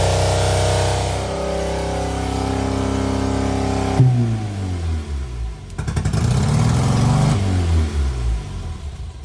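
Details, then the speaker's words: Barn-find Austin-Healey Sprite started on starter fluid with the starter cable pulled; engine catches, idles unevenly and surges through rising and falling revs. Running shows the fuel pump works and fuel reaches the carbs. "All right, I actually didn't expect it to run there. So it looks like the fuel pump is working. We have fuel up to the carbs."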